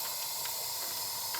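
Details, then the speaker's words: Mitsubishi Evo 8 4G63 that shut down while tuning, leak-down test at TDC: constant high rhythmless airy hiss as cylinder is pressurised; air leaking past torn-up exhaust valves that won't seal. "wow i can't even push it dude okay that's tdc right yeah the exhaust valves are torn up on that"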